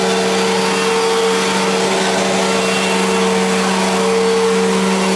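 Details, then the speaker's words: 1999 Fantom Fury vacuum bought at a yard sale, just switched on: loud constant roar with two steady humming tones on top; it doesn't sound right at switch-on, and the owner suspects the bearings or a failing suction motor. "other s from earlier but so yeah works but it just doesn't sound right so anyway if anyone know if anyone could hear that and you know can tell me what's wrong whether it's the bearings on it or if the suction motor is going bad"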